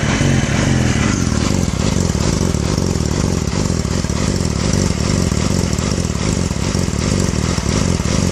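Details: 2006 Yamaha R6 idling with a dense, uneven exhaust beat and no steady rhythm; cause not clear. Rough idle.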